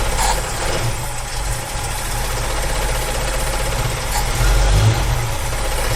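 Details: 1965 Ford Mustang V8 with Edelbrock carburetor idles low, lumpy and tractor-like, sagging and surging as if not on all eight cylinders; a carb cleaner test suggests one side's idle circuit is blocked.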